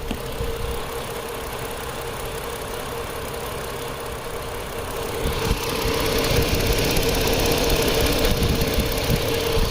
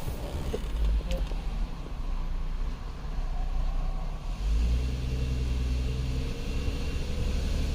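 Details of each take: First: 2010 Chrysler Sebring convertible 2.7L that started but ran rough: lumpy idle with a regular stumble about four times a second; scanner shows cylinder 2 dead with no injector pulse width, not the crank sensor, connector suspected. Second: 2010 Chrysler Sebring 2.7L convertible after running an idle relearn: engine settles into a steady low hum with slight unevenness, running noticeably smoother than before.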